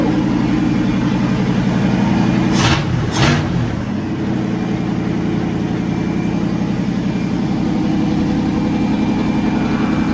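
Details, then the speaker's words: 1979 Ford Bronco in restoration, first start after fuel was added to the tank and with no coolant in it, run about 10 seconds: it catches at once and settles into a steady, smooth, low idle; normal idle. "Bronco fired up right away once it got that gas in there and it it sounded really good"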